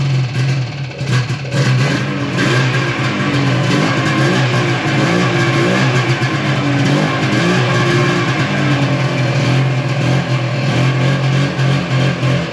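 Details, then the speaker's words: 1995 Yamaha Phazer II two-stroke snowmobile after sitting five years, rear lowered to get more fuel to it: revs wander and never hold steady, running lean; fuel starvation, owner unsure whether low tank level or dirty carburetor jet. "so whether that's a lack of fuel in the tank or if it's a lack of fuel getting to the motor because of a dirty jet I don't really know"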